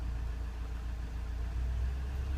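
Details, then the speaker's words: Volkswagen Transporter T5 2.0 TDI after EGR valve and cooler replacement, during diagnostic EGR basic-settings test: steady diesel idle climbs smoothly to higher even speed for about 30 seconds, no hunting or knocking; test finished correctly, normal. "you can hear the engine speed increases, and then after about 30 seconds or so, when it's finished, it tells you finished correctly and you're good to go."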